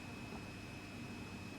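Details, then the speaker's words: Midland 3001 CB radio on receive: constant high-pitched ringing over receiver hiss that stops when keyed up; found to come from the current-limiting bench power supply, apparently cured by switching to a switch-mode supply. "There is a very high pitched whine coming from this. I don't know if you can hear that."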